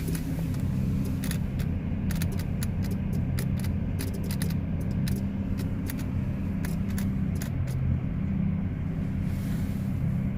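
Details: 2010 GMC Terrain gives sharp irregular clicking from the key switch and relay over a low cabin rumble; everything else works, and the clicking stops when the auto lights are turned off.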